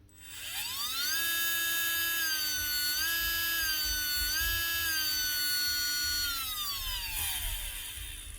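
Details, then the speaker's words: Makita DBO480 cordless sander (2024) after the repair: the brushes, bent when it was dropped, were bent back to make proper contact. The motor spins up cleanly to a steady high whine, holds evenly, and winds down smoothly, running normally. "He's dropped it and he's bent them brushes. Bend them down to make proper contact again. And it runs a lot better."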